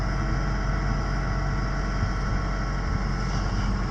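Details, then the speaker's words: Mitsubishi Galant VR4 first start after fitting a new stealth intake canister and air filter, not yet warmed up: steady, even idle with low smooth rumble, no knocks or misses; runs normally. "It looks like it runs."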